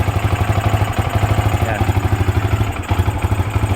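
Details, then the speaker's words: Yamaha R15 V2 motorcycle, cold start, after cleaning throttle body, manifold and fuel filter and new spark plug: uneven lumpy idle with stumbles, starting only after fuel pump priming then dying; suspected fuel starvation misfire. "Ayaw mag-start pa pero pagka naano na natin siya ng fuel pump Ayan ba magi-start na siya taos mamamatay din yan mamaya-maya yan so cold start yan"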